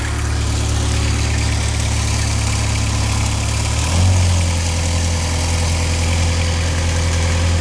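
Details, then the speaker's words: MK2 VW Golf GTI 16V running rich, warm engine: idle rises to a slightly faster hum after the red and black idle-stabilisation lead is unplugged, before adjusting the idle screw down. "a bit faster innit as you can hear now we've unplugged that the engine is running a bit faster so we're just going to slow it down a little bit by using this turning this screw"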